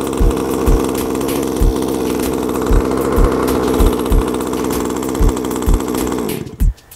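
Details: Exceed RC 1/5-scale gas Barca/Hannibal two-stroke, needles at factory settings, primed, choked then started: steady fast even buzz with occasional dull thumps, then cuts off; normal running after cold start, should be warmed up before driving.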